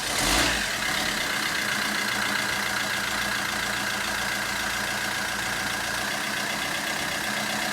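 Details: 2014 Vauxhall Combo 1.3 CDTI crew van, former non-runner, first start after clutch replacement: even, steady diesel idle with a smooth hum and no knocks or misses; engine settles and runs cleanly.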